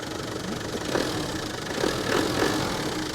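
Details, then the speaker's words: 1995 Land Rover Defender 90 300Tdi, 5-speed R380, 153,000 miles, glow plug light cycles: soft even diesel clatter at steady idle, no misses or heavy knocks; very smooth, no smoke from tailpipe. "very smooth engine ni clean looking oil Blow by your back pressure and no smoke out of the tailpipe"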